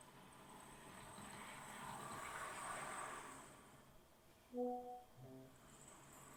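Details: Accurascale Class 60 model locomotive, squeaking out of the box, after a first oiling: quiet run with short high bird-like chirps; the drivetrain still squeaks, only slightly quieter, possibly from multiple points, one end still loud.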